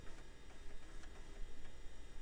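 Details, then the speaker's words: Compaq DeskPro 2000 floppy drive, after a support bar was greased to fix a sticking head: soft, quick, uneven stepping ticks of the head seeking normally. The machine fully boots DOS and the drive is fixed. Normal floppy drive seeking. "working great now and it did fully boot dos all right I'd say that dri is fixed"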